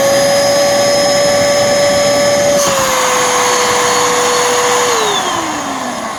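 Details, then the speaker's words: Bissell Powerforce Helix vacuum's bare suction motor, after water was run through it, holding a steady clean whine then sagging and winding down smoothly, no grinding or rattle; motor still okay, not perfect. "and the motors still doing okay I don't think it's perfect but yeah you know for putting water through it it's holding on for dear life"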